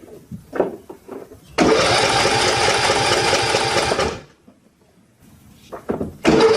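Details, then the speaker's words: Sears Craftsman YT3000 mower, 21 hp Briggs & Stratton Intek single cylinder, after camshaft replacement and valve adjustment: even cranking for about two and a half seconds without catching, fuel solenoid not heard clicking; carburetor later cleaned as possibly gummed; crank no start, no fuel. "It's not going to start. I'm not hearing this solenoid up here kick on right here. It's not getting gas."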